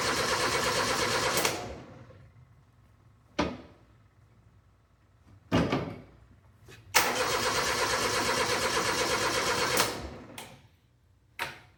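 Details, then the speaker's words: Steiner 230 tractor with Kubota gas engine, neglected bargain unit, electric fuel pump on, choke applied: several slow, uneven cranking bursts, engine never catches; owner suspects low battery; slow cranking, no start. "Okay. So, it's not turning over or it's not starting. So, uh the battery does sound like it's getting a little bit low."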